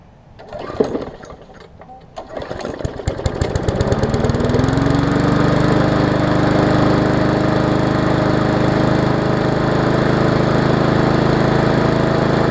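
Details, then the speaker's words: Murray 3.5 hp Classic push mower, cold start the day after the wrong ignition coil was replaced and water was purged from the fuel. A few pulls, then it catches and settles into a steady, even single-cylinder run with no misses. Healthy. "So we'll start it up. We'll finish this video. We'll do a cold start because this is the day after."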